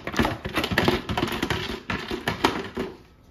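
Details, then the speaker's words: Butterfly 750-watt mixer grinder, new out of the box: irregular light clicks and taps as the unit is tipped and moved, from a broken-off part that fell loose inside the housing; damaged product. "ఇదేంటంటే ఇక్కడ ఉండాల్సిన ఆ point అనేది ఊడిపోయి లోపల పడిపోయింది. ఇలా sound వస్తుంది. ఇది డామేజ్ ప్రొడక్ట్ అన్నమాట."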